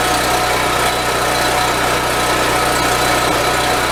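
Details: Husky portable generator, previously stalling after about 5 minutes, with its carburetor cleaned and reassembled, run strapped on a forklift. A loud, steady engine drone with constant pitch and no surging or dying over these seconds.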